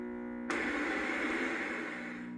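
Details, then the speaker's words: Nintendo Famicom, inherited after 10+ years in a smoky bar, connected to TV: steady even-pitched loud electrical buzz turning to hiss drowns game audio; RF switch checked and shaken without change, player-2 controller microphone capacitor suspected as common culprit. "As you can see, when I connect it to the TV and turn it on, it makes this loud buzzing noise. It's so loud that I can't even hear the game that I'm trying to [Music]"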